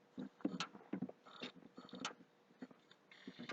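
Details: PS3 console, very slow to boot even after HDD format, intermittent sharp clicks near the hard drive, roughly two a second, stopping and returning; owner suspects hardware fault, cause unclear.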